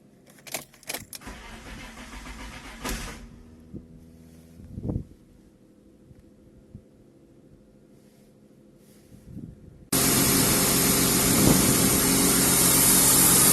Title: BMW E39 Cranking no start